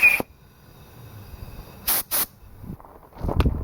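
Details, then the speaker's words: Homemade diesel-engine air compressor with added pressure regulator, running continuously: two short sharp air hiss bursts as regulator vents excess, holding about 100–102 PSI as intended; clutch noted as bad. "so if I'm doing something I can let this run continuously and it'll stay it'll keep itself at 100"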